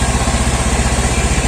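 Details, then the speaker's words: Scooter idling on used Shell Advance oil, no smoke even when revved, body vibrating from cracked panels; steady, even putter about eight beats a second with no misses or knocks, healthy idle. "Ini kalian bisa dengar sama sekali enggak ada ngasep. Ngasep keluar pun enggak ada. Cuma bodinya getar karena banyak yang pecah ya."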